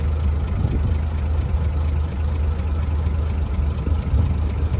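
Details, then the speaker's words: 1920s Rolls-Royce Springfield Ghost just started after fuel-pressure pump-up and both ignition systems on: smooth, even low rumble with a steady beat, no knocks or misses; normal idle. "There she goes. Yep. Guess we're pushing her, huh? Listen to that engine purr."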